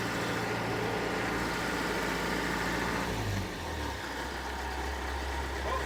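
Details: John Deere 455G track loader, about 1991-92, diesel reportedly last started a year or two ago: revs briefly, then drops and settles into a steady even idle with no knocking; healthy.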